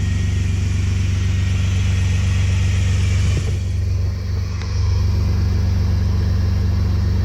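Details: Chevrolet Astro van with no-heat, engine-fault and coolant-leak issues (unresponsive thermostat, low coolant), after plugging its sensors back in: a deep, steady, even rumble with no misses or knocks. It runs normally.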